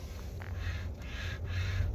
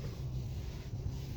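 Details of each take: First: 2020 Hyundai Sonata, steering wheel turning: dry, scratchy rubbing in short strokes from a worn steering column bearing. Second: 2020 Hyundai Sonata after replacing steering column bearing (kit 56359 L1AAAFFF) to fix steering wheel rubbing: only low even road and engine hum as the wheel turns, no rubbing or scraping. Noise gone, normal steering.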